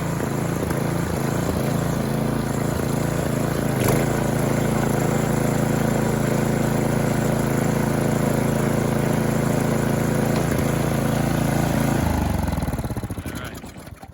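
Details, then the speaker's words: Snowthrower small engine after carburetor cleaning, still cold on full choke, no load. Even drone with slight rise and fall in speed, hunting that smooths out once the impellers are under load. Normal running with slight hunting. "If you noticed, you hear it hunting a little bit. Now the carburetor is perfectly clean. Once you put a load on it, once you set the impellers in motion, it smooths that out."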